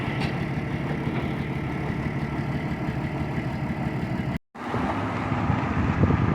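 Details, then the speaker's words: TCM FD-80 forklift with Isuzu diesel engine, high-mileage, bought cheap and run before repairs: steady, even diesel idle with a low thrum, no knocks or misses; runs pretty good, normal idle. "it's an Isuzu diesel and it actually does run let me just start it up runs pretty good for five grand"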